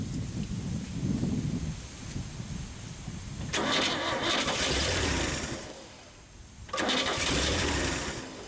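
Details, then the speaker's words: Long-dormant 1962 Chevy Bel Air being revived, fed from a gas can with the fuel pump having worked last time, battery charge uncertain: two long bursts of slow-sounding starter cranking, each a couple of seconds, with no catch. Cranks without starting; cause not confirmed. "not even sure if that battery's charged up good but that fuel pump did work last time so we're gonna go with that foreign they're not cranking too much better it seems like it's a little low"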